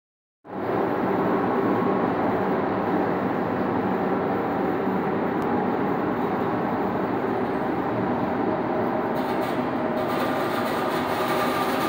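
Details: DN100 (4") orifice plate on a flow test facility: steady even rushing hiss of water with no crackling or popping, clean cavitation-free flow regime.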